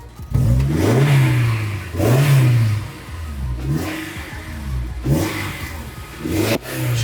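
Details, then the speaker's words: Widebody Honda S2000 build, start on battery packs: the engine catches and revs, then sags and fades repeatedly and won't hold idle without throttle; it keeps dying, cause not yet known. "keeps on dying on me should I keep gassing it what Idol this isn't idling I'm not touching it this doesn't seem good"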